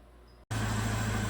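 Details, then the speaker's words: 2009 Chevrolet Malibu Hybrid, 110,000 km, transmission in limp mode; after the mass airflow sensor and induction system are refitted, the engine settles into a steady, even low hum with no stumble or hunting, running much better. Normal idle. "so it runs much better with the mass airflow sensor and induction system back on"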